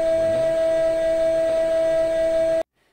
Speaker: You're about to hear a hydraulic pump. And we just like to ask, okay, what do you think what pump type it is, what size it is, and at what speed it is running?